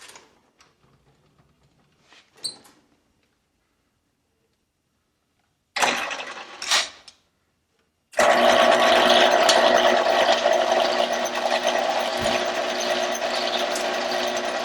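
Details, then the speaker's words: 1948 Kwik Way boring bar boring a motorcycle cylinder for a project chopper, feed engaged. It spins up to a steady, even whir with light regular chatter, but the cutter is not yet touching the bore: running without cutting. "it's not putting anything yet to default by the sound"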